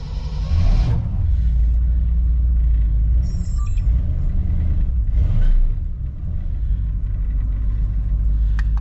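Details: 1959 Chevy 348 V8 cold start after sitting about three months, started without setting the choke. It settles into a deep, steady lumpy idle with one throttle blip to the floor and no knocks or ticks, sounding healthy.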